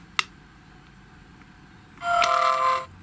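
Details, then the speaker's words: GHD Chronos S8M261 hair straightener, hot and up to temperature: a short click then a harsh raspy buzz under a second as the piezo ready buzzer, mounted too close, vibrates the plastic on/off button. "that horrible vibrating noise what the hell were they thinking is this a oneoff"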